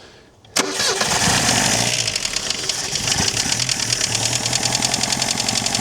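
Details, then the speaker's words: Chrysler Galant 1600 wagon started cold after sitting 30 years, not yet warm: loose, uneven tapping knock over a rough idle, like an old diesel. Thought not conrod knock, maybe pre-ignition; blowby noted. "Doesn't [snorts] sound like a a con a conrod knock or anything. Sounds like a pre-ignition noise or a from here anyway."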